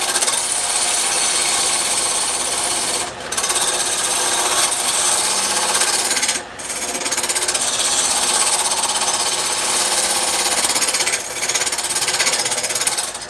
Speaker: Okay, you see it wobbling. If you hear you hear it wobbling, right? You can hear it chattering. Well, that's not a big deal because that's normal.